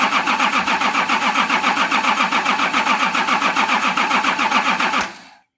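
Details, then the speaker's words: Nissan LD28 diesel in a 40 series Land Cruiser, not run for years, injectors cracked and dribbling: brisk, even cranking at about 3.5 beats a second for five seconds with no firing; unenergised fuel cut-off solenoid on the pump is starving the injectors. "I just realised that this pump has a fuel cut-off solenoid that when you turn the ignition on, it opens to allow fuel to flow."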